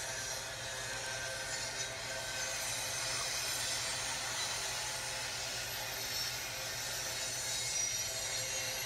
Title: Train Rolls Through Town With Unexpected Screeching Sound